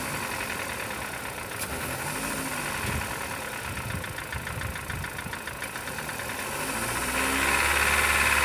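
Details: 2014 Chevrolet Cobalt, one owner, 70,000 genuine mileage; a sharp, regular knock three to four times a second over idle grows with revs. Teardown found rod bearing play, worst on cylinder four, with burnt deposits. Rod knock.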